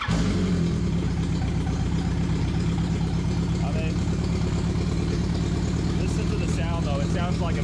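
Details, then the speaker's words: Yamaha R1 turbo build on a new base map with injector dead times being adjusted: lumpy, uneven idle with a heavy throb that stumbles and doesn't take a little throttle cleanly; the map is still being tuned. "right doesn't like a little bit of throttle just doesn't sound quite right"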